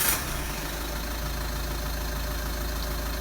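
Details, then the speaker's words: 2009 Ford Mondeo MK4 2.0 TDCi 140 bhp 6-speed after replacing the dual mass flywheel and clutch; starts straight away and settles into a steady even diesel rumble with no rattle, also in reverse. Normal start and idle. "There we are. No more noisy flywheel. So that was the fault. The fault was with the flywheel. It's now been sorted."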